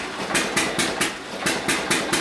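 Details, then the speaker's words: Hit-and-miss engine on a flat-belt dyno at heavy load: sharp even firing beats about four a second, many hits in a row with one brief skipped beat; normal firing under heavy load. "I love the way she's parking now many hits in a row and then maybe one miss"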